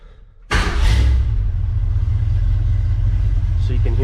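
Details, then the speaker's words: 1979 Ford F150 Lariat with stock factory 302 V8 and Crown Vic front end swap, hot start: engine catches cleanly and settles into a steady, even deep idle with no knocks or misses. Healthy. "what the idle is sounds really good just a factory 302 nothing super special about it but it definitely sounds fantastic if you ask me"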